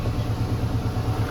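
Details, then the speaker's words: Ford Fiesta 1.6 with codes P0301/P0303: low, uneven rumble with choppy, stumbling pulses, poor acceleration and a helicopter-like exhaust beat, from cylinder misfire caused by a failed ignition coil output terminal. "Look there, there you can hear that it is not accelerating well. You notice explosions and the"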